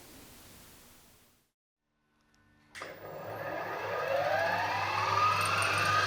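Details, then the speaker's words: Harrison HS170 universal milling machine spindle at full speed, 1500 RPM, after changing the main motor bearings (motor shaft was also extended): motor winds up with a smooth, steadily rising whine and even hum, no knocks or grinding; normal spindle run. "I'm going to put in a clip right now of running the spindle at full speed 1500 RPM after I change the motor bearings"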